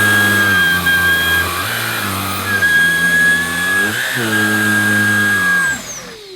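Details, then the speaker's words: Vax ONEPWR Blade 4 Pet cordless vacuum (CLBN-B4PT) used with a particular nozzle: steady motor hum with a thin sharp high whistle on top throughout, dropping away as it spins down; whistling noise noted by the owner. "and i don't know if you can hear but the machine makes a whistling sound when i'm using this nozzle"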